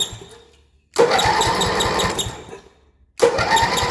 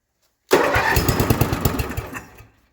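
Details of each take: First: 1978 Yard-Man Snowbird snowblower with 10 hp Briggs & Stratton engine (built 1977), battery clamped with vise grips; two cranking bursts with steady chugging pulses, never fires: no spark, possibly something grounded. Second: 1978 Yard-Man Snowbird snowblower, 10hp Briggs & Stratton single-cylinder on temporary fuel tank: catches right away with even firing pulses, runs cleanly then winds down; healthy quick start.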